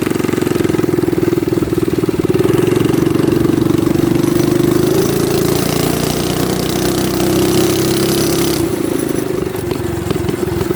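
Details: Baja Warrior minibike single-cylinder engine, throttle stop screw removed for full throttle: starts and runs at a fast steady putter, holding speed evenly before dropping off; healthy.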